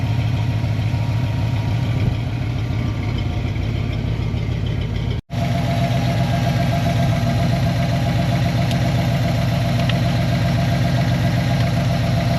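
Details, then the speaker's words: Foxbody Ford Mustang V8 after about 10 minutes of idling, coolant at 196°F, now taking fuel better; even deep burble, steady rhythm, no knocks or misses, one brief dropout; warm engine idling cleanly. "Been idling now for I don't know 10 minutes. Everything sounds pretty good. Looks pretty good."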